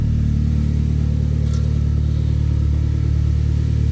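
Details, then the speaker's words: Saab from the Saab 9000 era, petrol engine idling: faint whirring chatter over a steady idle, from a noisy accessory belt or idler pulley; a loud exhaust with a slight flange leak is also present. "You can hear the belt noise, or the idler pulley noise down there."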